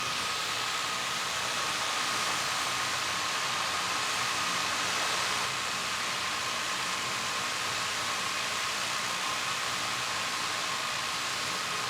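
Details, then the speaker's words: DJI Mavic Air 2 with stock props idling on a table, no stick input: steady high airy whoosh with a faint constant tone, no beating, drone holding solidly in place. Normal motor idle. "okay one more time with the mavic air 2. stock props and again holding solid in place not shaking at all once again not touching anything on the sticks just letting it idle"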